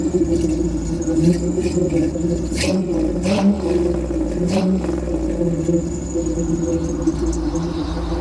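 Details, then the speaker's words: 1992 Jeep Wrangler YJ with a swapped 5.3L LS V8 and rebuilt AX15: a deep, even rumble rises and falls cleanly with throttle blips, no knocks or rattles, quiet at this spot; normal exhaust note, though a belt tensioner squeaks. "It really sounds good. Okay, I want to Yeah. And it's nice and quiet up here, too. You can barely hear it."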